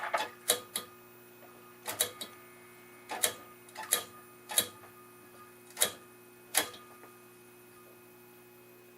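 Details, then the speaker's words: Admiral 17T1 vintage TV powered up: sharp irregular ticks, some in pairs, every second or so over faint steady hum; suspected high-voltage arcing below, possibly why the screen blanked. "Sounds like there might be a bit of arcing somewhere down below. Might be why the screen blank down."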